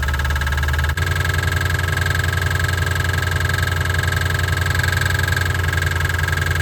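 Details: 1988 Ford Mustang GT 5.0 V8 at idle after reassembly: steady rumble with a sharp, regular knock about four per second; owner suspects a lifter, origin unconfirmed. Engine knock.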